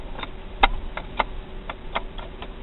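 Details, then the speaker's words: Failed alternator removed from an 1982 GMC/Chevy C20 with a 350 small block, spun by hand on the bench: uneven dry clicks about three or four a second with gritty drag, from worn bearings with the rotor rubbing. "I can hear the bearings in it but"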